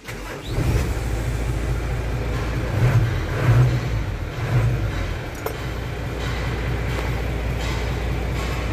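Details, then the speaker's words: Isuzu Forward dump truck with a 6HL1 manual diesel engine: brief crank, fires within a second and settles into a deep, steady idle that evens out after a few seconds; normal start and idle. "So paandar rin natin para marinig nyo yung andar nito. Ang makina nito ay 6HL1 manual engine."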